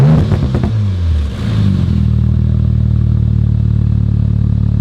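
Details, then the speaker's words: Rebuilt 2019 Audi RS5 warmed up, no muffler, no longer smoking: revs drop smoothly from a blip into even, deep idle with no knocks or misses; normal warm revving. "this sounds hecka good with no muffler it's not smoking no i think it just burned off whatever there was sounds sick"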